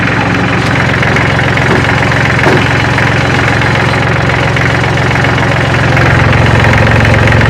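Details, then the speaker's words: Kubota L3400 diesel tractor, engine still warm so no glow plugs needed, after getting it running: even idle with usual steady clatter, three to four beats a second, no misses; runs healthy, still uses manual shut-off. "hear that chatter water still has a manual shut off. But that's a far cry better than it was yesterday when I started messing with it."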